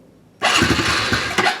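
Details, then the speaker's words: Honda CRF110F dirt bike after battery replacement, cold start on choke with electric starter: starter catches almost instantly, small single fires into quick even idle; normal start. "Oh yeah, ready to roll again. No more kick-starting because this thing is a beast to start."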